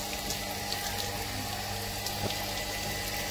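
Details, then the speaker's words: Shimizu automatic water pump after adjusting the pressure-switch screw: water rushes from the open tap over a steady hum, no rattle or surging, and the pump now shuts off automatically when the tap closes; normal operation. "Oke mesin sudah mati sobat artinya otomatis untuk mesin pompa air ini sudah baik mesin otomatis mati ketika keran"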